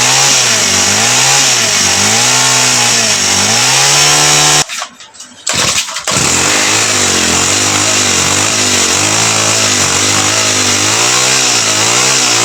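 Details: TX35 four-stroke brush cutter that would not start after the owner fitted a new carburetor, now started after priming and fuel in the intake; high steady buzz, revs swelling and easing, one short drop-out, then picks back up cleanly; normal running.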